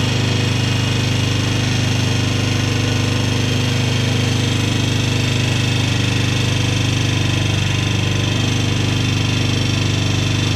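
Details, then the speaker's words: Polaris Sportsman 300 single-cylinder ATV at steady idle with a fast, even tick about three or four a second from the top end, still present after timing chain and valve adjustment; owner suspects valve tap, unconfirmed. "tell me what you guys think this is I think it's a valve tap it really sounds like it to me"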